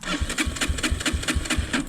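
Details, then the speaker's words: 2003 Honda CRF230F during carburetor and fuel screw tuning, float height good, loose wiring noticed: slow lumpy chuffing about four and a half beats a second, hard to start, as if choke on; seems rich, cause unconfirmed. "And now it's not even wanting to start. This is This is different."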